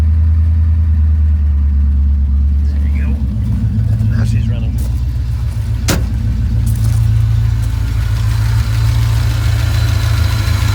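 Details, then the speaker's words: 1989 Ford Fox-body Mustang after exhaust modification and smog pump delete, cold start on jack stands: deep lumpy idle with a faint puffing tick on exhaust pulses from a small leak at one shorty header clamp; fix is tightening its two bolts. "We've got a little bit of an exhaust leak up at one of the shorty headers, but other than that, it sounds pretty dang good. I'll just have to tighten up the two bolts on that clamp, fix that."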